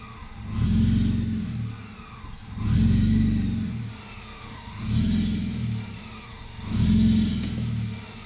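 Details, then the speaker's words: Supercharged M54 2.5i BMW Z3, surging idle after a drive home, recorded on a phone: it rises and sags about every two seconds, nearly dying at each dip; the owner suspects a rich condition, and a P0102 MAF circuit low code later appeared, cause unconfirmed. "and it seems to be rich at that point, so it's not getting enough air, or, you know, obviously too much fuel."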